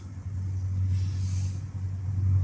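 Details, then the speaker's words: Audi A3 2.0 TDI 140 diesel idling with a heavy, uneven low rumble and loud racket; failed accessory belt tensioner whose spring is dead and no longer tensions the belt. "les amis si vous avez un bruit spécial au niveau de la Audi qu'on dirait qu'il y a tout qui va se casser c'est juste votre galet tendeur tu es plus son boulot"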